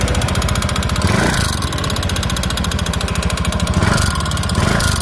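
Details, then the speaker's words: Honda Beat FI scooter with an intermittent internal engine knock. Fast, even tapping rides over the idle and fades in and out; the noise sometimes disappears. A connecting rod fault is suspected but doubted; cause not confirmed. "Kasi ang unit na ito, umiingay lang siya pero merong pagkakataon na nawawala yung kanyang ingay."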